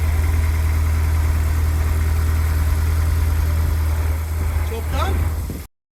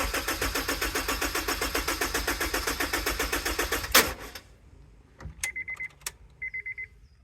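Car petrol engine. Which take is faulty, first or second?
second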